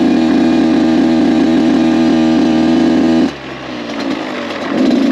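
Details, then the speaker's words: Rebuilt Kawasaki KX 85 two-stroke, maiden ride during break-in, shifting into third; crisp ringing at steady pitch, dropping as throttle closes and picking back up cleanly; running healthy. "It started up really easy, no weird vibrations or sounds. I'm actually surprised how quiet this bike is."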